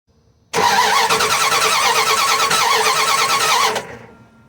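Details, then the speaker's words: Dodge Ram 1500 with 5.2 L V8 that shut down while driving cranks steadily about three seconds with no firing; spark tester shows no spark from plug wire, traced to a burnt, worn distributor cap. "okay back here again and and there is no spark the CH no spark coming from this wire to the spark plug"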